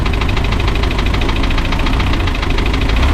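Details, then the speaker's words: Spryte snowcat "Rusty" turbodiesel, after fitting new OEM Zexel injectors with copper crush washers: low, even diesel clatter at steady idle, no misses or stumbles; smooth, rock solid after coming off acceleration, engine sound otherwise little changed. "When you come off of acceleration, he just idles nice and smooth. Rock solid. idle. I don't think it changed the sound of the motor much."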